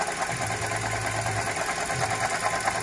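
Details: Toyota Grand New Avanza with the 1NR-VE engine at idle: a light, fast rhythmic ticking about two a second. Stethoscope checks of the water pump and alternator traced it to the alternator, possibly its shaft. Alternator noise.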